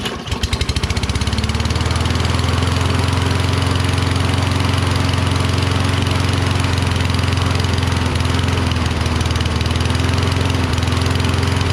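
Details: Toro Recycler Kohler XT675 mower fires on starting fluid and holds a steady, slightly uneven chug. Neither the spark plug nor the magneto was at fault; black debris was later found in the carburetor bowl, pointing to fuel starvation.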